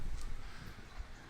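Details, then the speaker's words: Jebao gyre aquarium wave pump put back in the tank after soaking it clean, running at half speed: steady low churning of water with no rattle, tick or grinding; running smoothly and healthy. "She's back to work. Vacation's over, boss. Back to work. She's ripping, and this is only at half speed."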